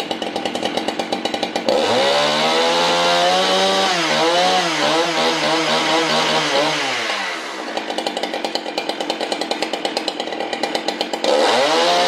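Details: Husqvarna 395XP chainsaw with 58 mm big-bore pop-up piston and cylinder kit, tuned to about 11,800 rpm wide open and about 2,900 rpm idle: crisp snap up to a clean high scream, then back to steady idle; runs healthy.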